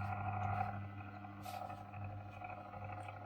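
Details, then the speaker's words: Old paper laminator after repair of inner heating rollers that would not rotate, feeding paper: steady even low motor hum with rollers turning, no knocks or grinding; drive working normally, heating up. "And there, it grabbed it. This isn't the fastest process ever, but I think it works."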